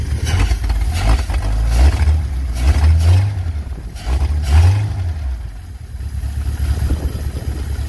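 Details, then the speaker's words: 1951 Pontiac Chieftain engine, first runs during revival with no radiator fitted: deep, loud, raspy bursts rising and falling as throttle is blipped; exhaust broken off in between, owner says it sounds pretty good. "the exhaust is broken off like right in between here yeah is it give her a couple [Music] revs it sounds pretty good"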